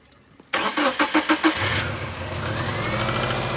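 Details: 2000 Subaru Outback after alternator replacement for a no-charge fault: starter cranks in quick even pulses, engine catches within a second and settles to a smooth steady idle, charging voltage rising from 12.6 V to about 14.4 V; normal start and idle.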